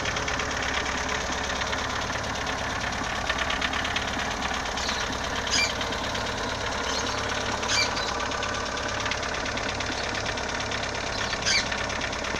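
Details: Engine idling with a light rapid tapping throughout and a few sharper knocks; knock persists after valves were adjusted and timing belt replaced, and bottom-end clearance was checked; source unknown.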